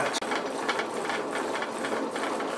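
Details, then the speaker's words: Electric bike with a Bedini-inspired SSG motor on a freewheel during efficiency tests: steady rough rattle with uneven ratchet-like ticks from really bad bearings, making the motor inefficient; wheel to be replaced: worn freewheel bearings. "this motor is very inefficient because the bearings you can actually hear the bearings um really bad but uh it was a free wheel"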